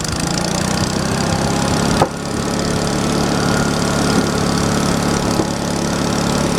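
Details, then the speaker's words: Old log splitter small engine, restarted in cold weather with cold old oil after sitting a while: brief catch then steady even putter, no knocks or stumbles; normal idle. "still old splitter still runs how about that guys"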